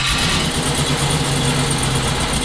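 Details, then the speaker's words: 1974 Chevrolet Nova, twin-turbo 5.3 L33 LS swap: uneven lumpy idle with stumbling exhaust note; runs on front four injectors but dies on rear four alone; owner suspects bad, dirty or plugged injectors. "which tells me that it's the injectors so either I got some bad injectors or they're dirty or plugged or something"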